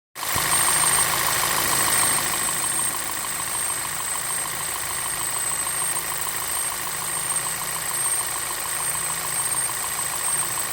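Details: 2010 VW Passat Wagon 2.0T TSI EA888 petrol idling: steady light metallic clatter about three ticks a second, faint high whine; timing chain tensioner already new style, timing cover replaced; chain rattle cause unknown.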